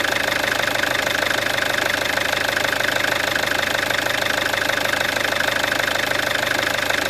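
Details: Peugeot 407 2.0 HDI diesel with 400,000 km, idling after a full timing set replacement: steady, even clatter with no rise, fall or odd knock. The engine runs healthy.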